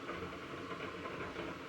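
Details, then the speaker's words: LMTV overland camper bed lift lowering the bed: steady buzzy electric motor drone with a fine rattle. The bed's weight makes the motors vibrate against their mounting pins; a shim or bushing is planned to stop it. "weight of this bed it's causing the motors to vibrate a little bit against those pins and you can hear it rattling as it's coming down"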